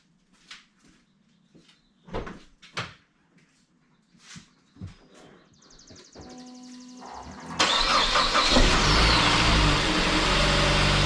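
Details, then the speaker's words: Saab 9-5 at 230k miles, first start after water pump replacement: a few clicks, a short crank, then it catches and settles into a smooth, steady idle with no knocks or squeals; heater on full to heat-cycle and top off coolant. Normal idle. "Sounding good, guys. I turned the heat all the way up, and get this thing heat cycled, so we can top off the coolant,"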